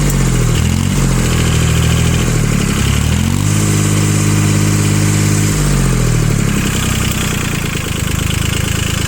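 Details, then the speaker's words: Yanmar YM2500 rear-wheel-drive Japanese mini tractor, three-cylinder diesel, 1004 engine hours, throttle blipped: revs rise smoothly from idle and drop back without misses or knocks, picks up cleanly and evenly; normal engine revving. "же видим, что двигатель работает ровно, на педаль газа отзывается очень хорошо, сразу же четко набирает обороты."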